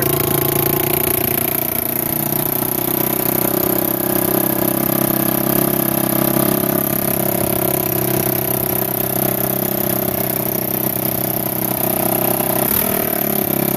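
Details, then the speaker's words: 1987 Kawasaki Mojave 250 ATV, first start after long sitting; single runs with a loud, raspy, chuffing tractor-like bark; exhaust leak at the header where the flange is missing or loose. "oh there's no flange come here look at this get your light no wonder it sounds like a tractor there's no flat or no the it's blue it's gonna be loose"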